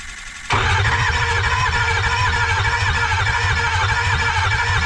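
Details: 2005 Ford F250 with a replacement 6.0 Powerstroke diesel installed without a turbo, first start: fast uneven starter churn, loud clattering diesel catches and keeps running roughly; cranking and first start after engine swap.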